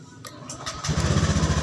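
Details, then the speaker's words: Honda Beat scooter that was totally dead, after jumpering/replacing the starter relay: starter whirs briefly, then the engine catches within a second and settles into a steady, even idle; starts fine. "ini untuk mesin juga bisa hidup Nah itu ya kalian bisa lihat itu"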